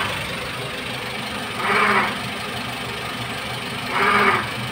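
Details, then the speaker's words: 2005 Toyota Avanza 1300cc, pre-VVTi engine, idling: bleat-like groaning 'nguk' repeating about every two seconds, traced to worn water pump and belt tensioner pulley bearing, bearings replaced. "Setelah datang ke sini kita cek ternyata dari water pump Kemudian dari puli ini Tensioner bearingnya ini bearingnya kita ganti"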